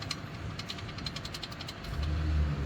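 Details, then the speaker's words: VW Up TSI with an electronic servo-actuated turbo wastegate: light, fast metallic ticking at idle, then a rising drone on acceleration; the whole wastegate structure on the hot housing has come loose and vibrates, not the clip; turbo likely needs removal for repair. "só que o que tá vibrando embaixo das acelerações é a peça toda aqui ó ó não é o grampo tá é a peça inteira"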